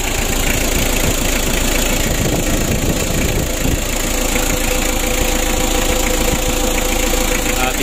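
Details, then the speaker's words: Freshly overhauled and reassembled Mitsubishi L300 diesel (2017) just after first start: even, steady diesel idle clatter with no puffing or uneven beats; oil light off, oil circulating up top, no compression leaks, compression fairly good, engine sounds healthy. "Alhamdulillah untuk mesin L300 nya ini sudah kita hidupkan bosku untuk suaranya juga bagus semuanya aman ya"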